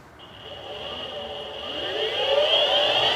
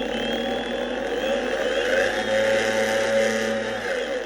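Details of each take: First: Boosted Board Mini X electric skateboard after replacing its 3-month-old motors that had been clicking, belts re-fitted: clean whine rising steadily in pitch as the motors spin up, no clicking; motors healthy. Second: Boosted Board Mini X electric skateboard with 3-month-old motors: the motor whir rises and falls with speed and carries a fast, fairly regular tick about three per second; a clicking motor fault on a board that should be nearly silent.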